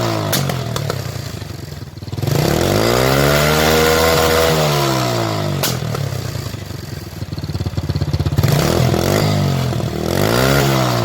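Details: Single-cylinder motorcycle revved: revs rise and fall with sharp exhaust pops and backfire, possibly sparks at the tailpipe, caused by an overly rich mixture.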